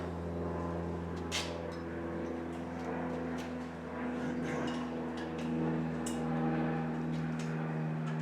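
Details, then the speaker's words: Loud open-exhaust V8 bought as a cheap mock-up engine, first start resting in frame: idle wanders and settles unevenly; good oil pressure, carburetor obviously needs work, probably all right with a tune-up and good carburetor. "has good oil pressure engine doesn't sound too bad probably with a tune-up and a good carburetor it should be all right"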